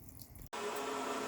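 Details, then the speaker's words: Rheem electric water heater (PROE50 T2 RH95 / 82VH2-2) power flush, run on without the sediment bag: steady even rush of water through the drain, no sputtering or gritty rattle; water runs clear, normal flushing flow. "so I'm going to let this run a little more without the bag just to make sure it's flushed out pretty well I think it's clean I see nothing coming out of the water now on a power flush"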